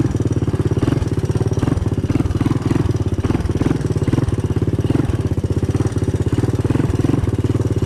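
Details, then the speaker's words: 1985 Honda ATC 200M single-cylinder on a new Chinese carburetor, first run in a year or two: steady idle thump with light ticking each beat from the front valve; valve clearance needs adjusting. "You can probably hear that front valve there. I gotta adjust the valve clearance, but keep in mind it's the first time this has been running now in a year or two."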